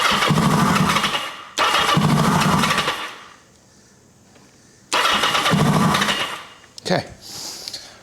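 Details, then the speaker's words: 1980 Kawasaki KZ750 four-cylinder with an unhooked red lead: it fires raggedly during starter bursts and falls silent when the button is released. Owner suspects a wiring or spark issue since everything stops with the start button; unconfirmed. "I'm almost positive cuz that's firing up and lighting off like it's supposed to. It just won't keep running. It's like everything stops as soon as I let go of that start button which tells me we got a wiring issue."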